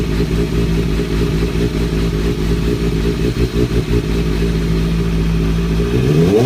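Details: 2003-2004 Kawasaki ZX-6R 636; loose clattering rattle over lumpy idle, busier as revs rise at the end; owner suspects timing gear, tensioner reset per manual changed nothing; unexplained engine noise.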